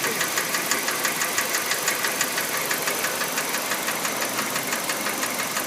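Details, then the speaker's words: Kia Rio JB, G4EE 1.4 97 hp, automatic, Mobil 3000 oil: crisp regular ticking about twice a second at steady idle; owner first thought injectors, then suspects hydraulic lifters, cause unconfirmed; also a no-start issue. "Слышно, как форсунки работают. Не форсунки, это, извиняюсь, гидроконденсатор или что там. Вот этот звук, короче, напрягает."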